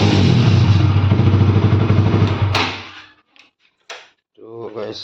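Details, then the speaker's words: Pulsar RS200 during home servicing, muffler removed, engine run with the open pipe: loud, raw, rapid popping exhaust beat that cuts off after a few seconds; loud exhaust, muffler removed. "Guys, মই মানে মাফলাৰটো খুলি ল'লোঁ এতিয়া। এবাৰ চাউণ্ডটো শুনাই দিম নেকি বাৰু? এবাৰ চাউণ্ডটো শুনাই দি আছোঁ।"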